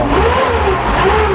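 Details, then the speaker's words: 2002 Kia Visto, manual, petrol engine, engine described as healthy: steady engine note with smooth rev build, no knocks or rattles, described as smooth and almost inaudible; normal start and rev. "Masih Halus, halus tarikannya. nyaris tak terdengar, Mas."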